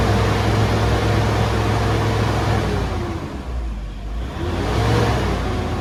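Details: 2010 Toyota Innova 2KD diesel after the repair, no DTC stored, fuel pressure steady: the diesel rattle climbs smoothly as the throttle opens, eases off and picks up again cleanly; it revs freely with no stumble or miss.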